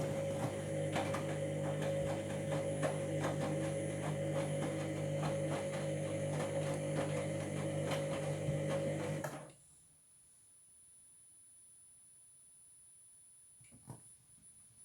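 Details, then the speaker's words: Washing machine on a 60-degree, 1200 rpm synthetics cycle: a harsh, gritty whir with a steady whine and about four rough pulses a second as the drum rotates, then it stops. Owner suspects an internal drum or ring problem; unconfirmed. "I don't know if you um making a bit of a grand sound which that shouldn't be happening"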